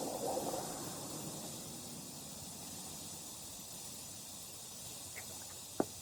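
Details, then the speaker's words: 2023 Honda Goldwing rear tire with a nail puncture: a steady soft hiss of air escaping after the nail, which broke off about an inch long, is pulled, plus a few handling clicks. "all right you can hear the air hissing out of there looks like the nail itself actually broke off"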